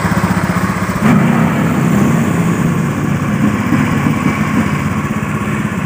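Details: Honda Beat FI motorcycle after engine seizure repair, reassembled; pressure raised from 20 to 40 PSI, now normal. Steady, even idle putter with no misses, knocks or rattles; engine sounds smooth and healthy.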